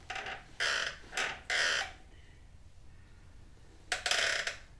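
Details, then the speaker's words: 2004 Yamaha R1 rear worked up and down after WD soaked into the back joint: bursts of high, scratchy squeaking each push, fading between strokes; rear shock squeak, owner wonders if it is the swingarm pivot, not confirmed. "I wonder if it's in the pivot of the swing arm itself"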